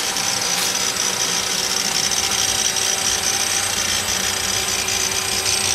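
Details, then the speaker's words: GM hydrogen fuel cell 2007 Chevrolet Equinox with dual hydrogen tanks, electric front-wheel drive, just after start-up: a steady high-pitched hiss with faint squeaking/scratching as the fuel cell takes in hydrogen, plus water-vapour exhaust and no engine beat. This is normal. "hear that little squeaking noise or little scratching noise and that's the fuel cell it sell make taking in the hydrogen and there is some exhaust noise it's not the broom broom that we all have heard before but there is exhaust coming out but it's just water vapor it's nothing else"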